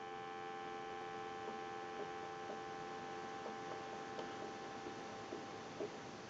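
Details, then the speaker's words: Converted wood wall crank telephone, final checkout after repair, dial tone via plugged line cord, receiver audio through keypad's audio amplifier: clean continuous dial tone, steady pitch, no crackle, dropouts or buzz; receiver audio working properly. "So we're going to go ahead and give you some dial tone. And we can turn the dial tone down."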